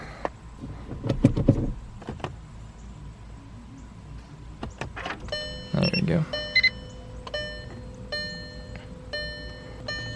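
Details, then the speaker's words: Golf R with 2.5 engine, stopped with door open and battery tender connected, before a compression test: crisp repeating chime about one to two a second with a few clicks; door-open warning sounding. "let's shut the door so that that beeping stops that way i'm not gonna be able to shut it because of the battery tender all right the beeping finally stopped"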